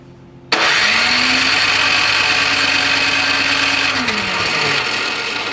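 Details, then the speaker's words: Curbside Toro Power Clear 621E snowblower, 163cc OHV four-stroke single, water in fuel bowl, leaking carb: recoil-pull whir with no firing pulses; crank no start, spark plug cap loose, cause unconfirmed. "not even a kick i just put the spark plug cap on a little tighter felt a little loose"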